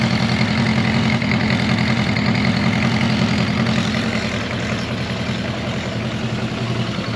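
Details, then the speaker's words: Honda CB400F with K&N pod filters, after raising the idle adjuster: even, steady idle with a low rhythmic throb and audible intake hiss, cleaner than before. Normal idle. "Definitely sounds way better, way cleaner. Yeah, I just had to screw the idle adjuster a little bit."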